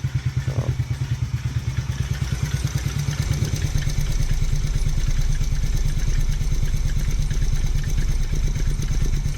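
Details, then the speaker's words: TaoTao 125 with Dynojet re-jet and fresh oil change, cold idle: uneven clattering about three beats a second over the idle, not from the bottom end, source unknown, typically goes away once warm. "Definitely not coming from the bottom end, so I'm not sure what that is. It goes away once it's warm, typically, so I'm not too worried."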